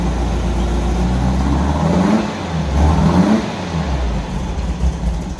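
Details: 1964 VW Beetle air-cooled flat-four after new spark plugs and fuel filter relocation, with a backfire being diagnosed: a low, lumpy, stumbling idle just after starting, the oil pressure light goes out, and one cylinder is suspected of not firing.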